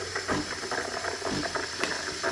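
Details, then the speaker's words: DeLonghi Dedica EC685 espresso machine steaming milk at the cappuccino setting: a steady steam hiss over soft, fairly regular knocking a few times a second from the thermoblock, which is normal and not loud. "it's fairly quiet you can hear that knocking from the thermoblock but it's not loud"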